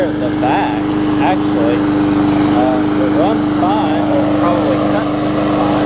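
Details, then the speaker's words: New 2013 Murray push mower that lost compression on first start from a hard piece of rubber stuck in the intake valve; after removing it, the small engine holds a steady, even high-pitched drone with no misses or surging. "you see it's running great now"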